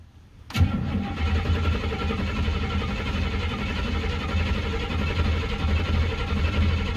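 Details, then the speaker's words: Buick ("Bluick") first start of 2024 after sitting since about September 2023, battery charged beforehand, cold; starter cranks steadily for several seconds but never fires, owner suspects no fuel reaching it and may pour some in. "we're getting oil pieces f [Music] [Music] but still no gas I might have to pour a little in there"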